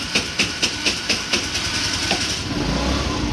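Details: Old GY6 scooter with a new battery cranks with quick, even chugs, then catches and settles into a smooth, steady idle. A normal, healthy start and idle.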